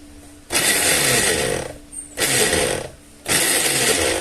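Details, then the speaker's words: Braun tower fan brought in for a strange noise: harsh, high buzzing rasp comes in at each switch-on, steady while running and dropping out between; cause not yet found. "Se escuchaba un zumbido aquí."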